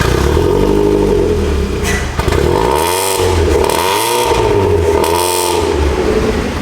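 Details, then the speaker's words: Supercharged Mazda Miata revving after exhaust welding: sharp, harsh, raspy blats rising and falling with each rev, better than before but still too loud from the rear; needs another muffler or resonator. "It's a lot better. It's still so loud. Yeah. And that's all coming from back there."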